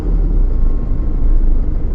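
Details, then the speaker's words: Toyota Innova with malfunction light on and heavy engine vibration: deep, uneven rumble at idle with engine shaking hard, one cylinder dropping out; misfire caused by a wiring fault at the second injector, light off after repair. "जो second न investor था उसकी wire में problem थी उसी से काम night जा रही थी"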